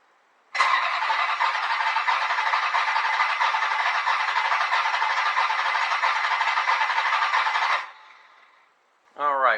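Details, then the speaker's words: V8-swapped Fiero first test crank with the distributor battery lead disconnected: steady even whirring crank for about seven seconds, no firing, grinding or clicking; starter spins fine and neutral safety allows cranking only in park or neutral. "We did crank it, it did spin over. It only wants to start in park or neutral, so that's all good."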